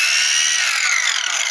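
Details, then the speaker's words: Makita angle grinder: high, raspy whine that wavers and roughens instead of a clean even spin, sometimes starting badly; owner suspects a failed bearing, not confirmed. "Vou ligar ela só pra gente estar ouvindo o barulho dela que tá muito estranho. Olha só o barulho que ela tá fazendo."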